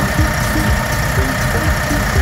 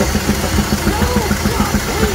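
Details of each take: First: Doosan G2 forklift engine after repair: earlier rhythmic knocking traced to one cylinder 1 intake valve not opening with a bent pushrod and heavy carbon, head machined and injectors repaired; now idles with a steady, even low rumble, no knock. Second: Doosan G2 forklift engine idling with intake hose removed, after the No.1 and No.2 injectors were repaired and replaced: a steady sharp knock about seven per second persists. Cause: one No.1 intake valve not opening, bent pushrod, carbon.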